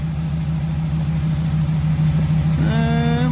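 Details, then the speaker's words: 2019 Ram 1500 5.7 V8 eTorque, 51,000 miles, idling smoothly with no whine after a whining tensioner pulley was replaced. "so as you can hear it nice and quiet now finally"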